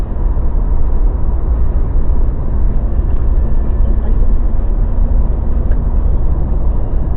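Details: Mazda BT-50 pickup driving with a steady, even low road rumble and no clunking, grinding or cracking. Apparently after fixing the clunk that began once drive shaft cross joints and the center bearing were replaced.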